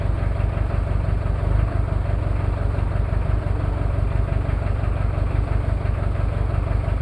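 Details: Cold start of a Toyota 2L-T diesel after piston rings were replaced without a top overhaul: low, lumpy idle with an uneven beat near three per second. One cylinder misfiring from a bad injector, with possible cylinder head issues.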